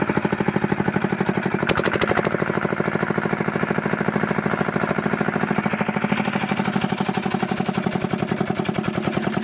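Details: Fitter diesel engine pump: single-cylinder diesel thumping at a steady, even beat around two hundred a minute, firing cleanly with no misses or knocks.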